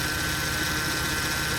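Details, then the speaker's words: 2008 Mercedes C300, power steering fluid leak suspected; steady engine drone with a constant thin whine and chirp when turning the wheel, pump suspected failing, possibly rack or pulley; power steering whine. "There's a whiny noise. You turn the wheel left and right, you hear that noise, that little noise. So yeah, so that means that one of the part with the powering steering system is no good."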